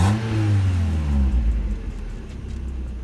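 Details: Mazda Miata after new fuel pump, thermostat, radiator, hoses, coolant and fresh fuel: catches at once, revs briefly, then drops smoothly to a steady, even low idle with no misses.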